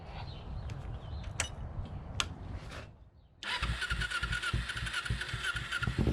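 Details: 2008 Kawasaki Ninja 250 carbureted twin after sitting all winter, started with brake cleaner sprayed into the airbox: brief cranking, then it catches at once and settles into an even, steady idle; normal cold start and idle.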